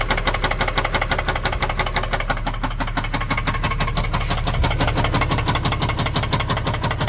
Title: 2010 Infiniti G37 engine knock